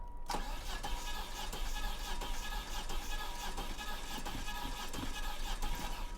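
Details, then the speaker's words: 1993 Dodge Shadow at an auction yard, long unstarted, fuel gauge showing a full tank: steady starter cranking with weak attempts to fire and a backfire attempt, but it never starts. Owner suspects the timing is off or a head gasket problem. "it shows a full tank of gas yeah it's got gas you can hear it trying to fire yeah she's not going to do it"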